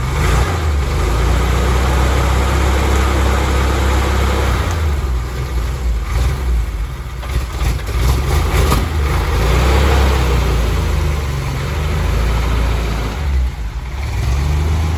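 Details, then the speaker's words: 1962 Willys pickup, 226 engine, Pertronix electronic ignition, carb rebuilt last year, running poorly since sitting too long over winter: a deep, uneven rumble that surges and sags instead of holding steady. Rough running, cause not yet found. "i'm gonna pull her in the shop open up the hood and uh see what we can't figure out here i think he's not running very well"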